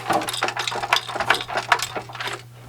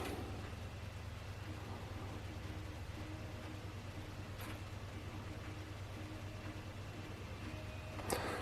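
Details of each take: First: Original PlayStation 1 bought as broken, lid not staying closed: quick bursts of light plastic clatter as the console is shaken, loose parts rattling inside the case. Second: PlayStation 1 bought as broken (rattle inside, lid not closing) spinning and reading a Square Soft disc after the first fix: quiet, steady low hum with faint clicks, no rattle; normal disc spin and read.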